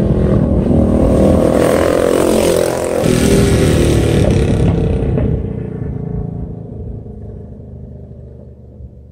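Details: Bike with an aftermarket pipe roaring past the camera in a canyon. As the throttle closes, sharp gunshot-like cracking pops burst from the pipe. Exhaust backfire on deceleration, which the rider blames on the baffle.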